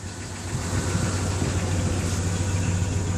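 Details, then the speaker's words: Truck sold as having a rebuilt engine with 10,000 km started knocking two months later: a low, dull knock at idle under the exhaust, suspected worn rod bearings from a bad crank, possibly the torque converter; oil pressure drops to near zero. "You can start to hear it knock now. It also almost sounds like it's coming from the torque converter, but I'm not entirely sure."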